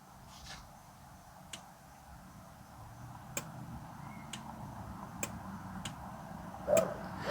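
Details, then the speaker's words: MINI Cooper crank-no-start, fuel pump already replaced; during scan-tool fuel pump actuation test with engine off, faint regular clicks under two per second and no pump hum; relay switches but pump never runs, fault likely between relay and pump. "I heard the relay. I'm not hearing the fuel pump. Stop. We can hear the relay."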